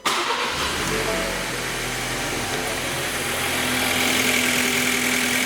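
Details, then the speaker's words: Engine starting and idling smoothly after replacement engine install (original failed compression, number one piston damaged); catches quickly, even idle with no knock or misfire, though water smell remains inside. "shoot fires up um almost can't even tell no I did a good job on this one um but sounds sounds good smells like water in here"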